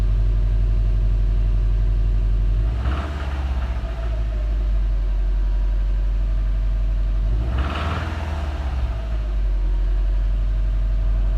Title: 2017 sti rod knock spun bearing noises